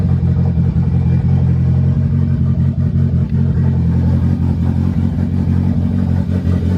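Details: Honda sedan engine after chain tensioner and valve lash work; smoke reduced after fuel trim map adjustment. Even, settled low rumble with no ticking or clatter; fires cleanly, normal running.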